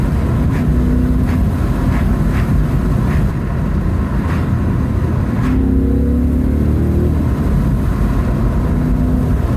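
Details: 2016 Ford Mustang GT 5.0 V8 manual on a open road: deep V8 burble rising and falling through the gears with clean pulls and no misfire or rattle; healthy exhaust note.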